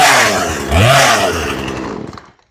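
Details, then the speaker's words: Chainsaw being tuned after a carburetor replacement, with the idle turned up: revs then sags, burbly and muffled as it dies away over two seconds. Too much gas, an over-rich mixture. "Sounds like we got a little too much gas going."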